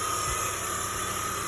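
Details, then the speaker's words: 2005 BMW X5 E53 3.0 at idle with a newly fitted remanufactured alternator: a steady high whine and hum that does not change pitch. The new alternator is judged defective. "You can see that's a new alternator. And you can see it's making a whining, humming noise."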